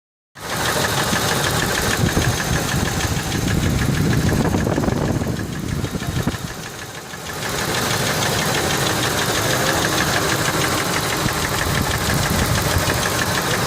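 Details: Ford F150 4.6 2-valve V8, timing chains just replaced, at idle: fast ticking knock about three per second that continues after a brief dip; nothing heard at lash adjusters with valve cover off, so rod bearings suspected, not confirmed.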